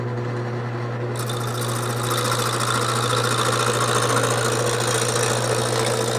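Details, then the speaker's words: Wood lathe with the gouge started slowly on a blank mounted off-center. Steady motor hum with a fast, uneven chattering cut as the gouge catches the corners. Intermittent cutting on an out-of-round blank. "when I start I want to start in slowly till I hear it and once I hear it I want to drag it across evenly not letting it bounce around and at the beginning you want to start slow"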